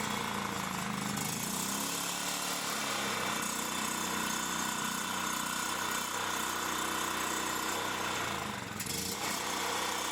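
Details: Champion 3500 W generator after carburettor cleaning, having sat all summer with old gas and run only on full choke; steady busy drone with buzzy top end, no misses or knocks; running smoothly, normal.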